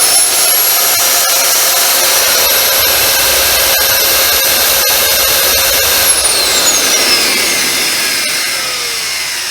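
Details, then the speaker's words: Dyson DC07 vacuum cleaner with YDK motor, run with cyclone off: loud, high motor whine with crackling snaps from visible sparking, then pitch sags as it slows; burnt-out motor with brush arcing. "on did you see the sparking you can't smell the smell or see the smoke but that he's dead that's pretty much burnt out"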